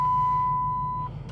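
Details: 2005 Chrysler 300C 5.7 Hemi being rebuilt, battery recently dead: single steady high-pitched beep about a second over low engine hum; dash warning chime, owner suspects the throttle body lightning-bolt light, not confirmed.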